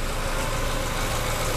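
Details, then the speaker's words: 2007 Fiat Stilo 1.8 8v warm at normal operating temperature after replacing tappets and rocker arms: smooth even idle with only faint normal valve-actuation ticking; tappet-like knock previously heard when hot is gone. "Olha só. Tranquilo, né? Leve barulhinho aí de acionamento de válvulas."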